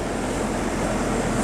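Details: AC condenser during the fan blade and hub repair for a loud bang at shutoff: even fan whoosh and compressor hum, no knocks, rattles or whine; normal running.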